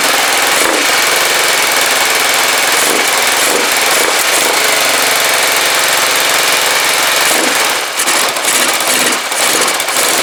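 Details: Rebuilt Kawasaki GPZ500S twin in a frame, about 130 psi compression, first start after spark restored and float bowl filled: fires and settles into a steady, slightly uneven fast idle, loud and harsh without silencer; running on its own.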